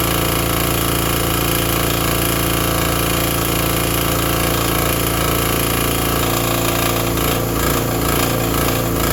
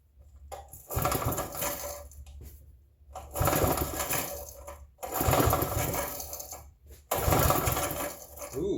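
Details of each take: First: Vintage Briggs & Stratton 5 hp generator, running after start: steady, even single-cylinder speed with no misses or knocks while powering a small shop vacuum, running normally. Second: Vintage generator, unused perhaps 2–5 years or more, choked, no primer: four rope pulls give short rattling whirrs with no firing, because the run switch wasn't fully on; once set, it fired right up.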